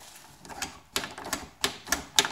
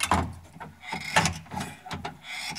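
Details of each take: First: GM K5 truck door latch after Fluid Film lubrication: crisp clicks and clacks with no squeak in between; latch now smooth and quiet, "what a difference." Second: GM K5 truck door latch squeaking and clicking about once a second as it is worked, dry shaft and spring needing lubrication; "a haunted house."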